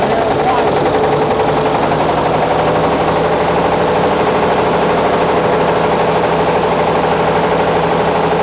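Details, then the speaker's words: Caterpillar D8H cable dozer, first start after sitting 15-plus years, pull-started after a wasp nest blew from the exhaust: loud steady flat-out diesel roar with a high whine creeping upward, turbo whining; stuck at full throttle, fuel not shutting off, oil pressure pegged. "Yeah, the turbo works. Holy cow. Hey, you really hear that whining."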